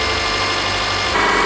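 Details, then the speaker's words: Freshly rebuilt EJ25 SOHC 2.5L Subaru boxer from a 2005 Outback, first start idling: steady, even idle with no knocks or ticks, running smooth; a small suspected exhaust leak heard on one side. "so far so good I mean I hear a small what sounds to me like an exhaust leak from from this side but as far as the engine go go it's it's running pretty smooth"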